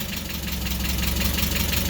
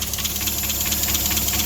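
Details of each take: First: Mazda Miata just restarted after the intake was completed and fittings tightened, supercharger belt pulley not yet fitted: steady, even idle with a low rumble, slightly low, no knocking or pulley rattle. Normal idle. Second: Mazda Miata idling right after the new supercharger intake install: even idle under a loud, steady airy hiss. Owner suspects a vacuum leak but says the completely different intake might explain it.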